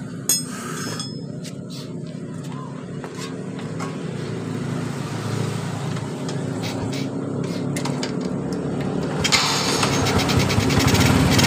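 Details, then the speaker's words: Supra motorcycle single after its small timing-chain tensioner was pumped full of oil and refitted: idles evenly with the earlier chain tick gone, a steady smooth beat under street noise. "kita hidupkan kembali jadi suara dari rantai kecilnya tadi sudah tidak ada ya teman-teman"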